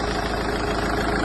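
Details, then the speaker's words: Hyundai Terracan 2.9 diesel after an engine rebuild with a sleeved block to cure a loud engine noise: starts and settles into a steady, even, smooth low idle with no knock, then revved, running cleanly. "Olha só como ficou filezinho o barulho aí ó tá Dá uma acelerada aí vai beleza pessoal então tá aí ó funcionamento perfeito né motor"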